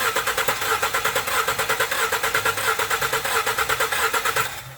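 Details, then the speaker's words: 2016 Ford F-150 with check engine light and rough running, compression test while cranking; starter cranks at about three beats a second with lopsided rhythm, one cylinder under 20 psi compression, badly leaking. "we have like less than 20 pounds of of compression so we know that we have a cylinder with a really bad hole in it"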